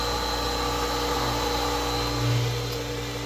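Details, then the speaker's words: New 1.5 hp Chinese replacement motor on a Hayward pool pump, primed and running after swapping out the noisy Century/Pentair motor; steady, fairly quiet hum with constant pitch and no grinding or bearing noise; motor healthy, plenty of power. "Sounds pretty good. Fairly quiet. Seems like it's got plenty of power."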